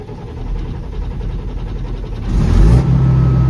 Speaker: at that. Runs far better with fuel in the tank. Who knew?